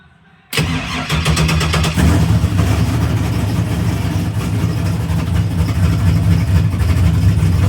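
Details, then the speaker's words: GTO on tune revision 13, cold start: a quick crank catches at once, flares briefly, then settles into a steady, slightly lumpy idle near 900 rpm with over 40 psi oil pressure; a normal cold start. "Well, that's good. At least they cold started this time. Last time it wouldn't do that."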